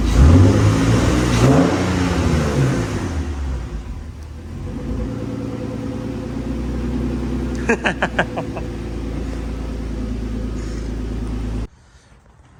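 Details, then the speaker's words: Infiniti G35, very high mileage, newly twin-turbocharged with new return fuel system, warmed up: clean rev rising and falling back to steady even idle, no rattles, misses or knocks; sounds healthy. Normal revving. "overall though, it's cool. It sounds healthy. It's going to be looking at some pretty cool dyno numbers."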